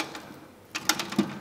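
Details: Moped gearbox turned by hand while adjusting shift cables: a few light clicks mark the detent at the limit of first gear's travel, the position marked in pencil to centre the neutral range; normal shift detent.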